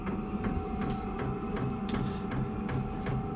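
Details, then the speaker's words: Vevor diesel heater running off a battery bank: steady fan hum with crisp, evenly spaced fuel pump ticks about two and a half per second as the heater fires up normally. "And yeah, she's starting to fire up here."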